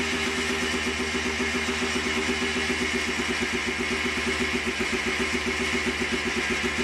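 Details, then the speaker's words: Yamaha Blaster two-stroke, stock OEM exhaust, recorded as the "before" sound for an FMF Fatty pipe and Powercore 2 install. A quick, crisp putter at a steady idle with even pulsing and no knocks or misses. The engine is healthy. "of course we got to do a before and after sound clip of what the blast from the past sounds like with the new uh FMF exhaust so let me start it one last time so you can hear"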